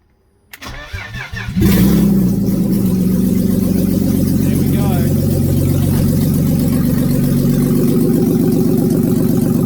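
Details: BMW E36 drift car, first start after the engine install, with the fuel pump primed and the park/neutral switch wire bypassed. A short burst of cranking, then it catches and settles into a steady, even idle. A clean, normal start.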